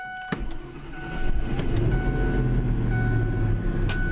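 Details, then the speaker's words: 1997 Ford F-150, fuel-injected, cold start on a chilly day: short crank, catches within a second, settles into a smooth steady idle; clean healthy cold start. "another bingo and the 97 f-150 is driving pretty darn good still have a few issues to work out but it's getting quite dependable a second successful cold start"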